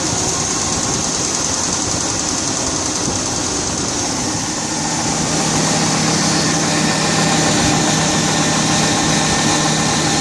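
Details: 1999 GMC Yukon V8 at idle: quick, fairly regular tapping knock about three or four a second over a rough hum; owner checking whether the engine is shot; source unknown.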